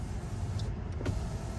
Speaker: Now they all work, guys. Well, so far I'm very impressed with this car.